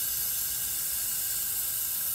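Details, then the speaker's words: BMW E36 with turbo LS swap (LQ4 6-litre, BorgWarner 72 mm turbo), homemade boost leak tester pressurizing the intake, engine off: steady high-pitched hiss from a loose boost controller line, confirmed by soapy-water bubbles; needs tightening. "the way to check it is you get a bottle of soapy water spray in here if you see bubbles come out then you know you have a boost leak"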